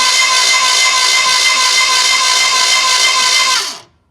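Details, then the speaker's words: Old Ford big-block mud buggy, sat unused for years, cranked on a borrowed battery with plugs out and water found in the front cylinder: high, even starter whirr with no compression chuffs until it cuts off. The engine turns freely, not seized. "did look like there's a lot of water and front cylinder right here squirted pretty good a little bit of rest let's see if we can blow the rest of it out"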